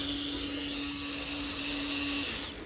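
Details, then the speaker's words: New aftermarket Herco electric fuel pump for a Volvo 850, bench-tested before install, gives a steady, clean high-pitched whine with no sputter, winding down at the end; the owner suspects bad gas killed the old pump. "Let's see if this one sounds better. If so, we'll put this one in. Listen to that. No sputtering. Nice high pitch sound."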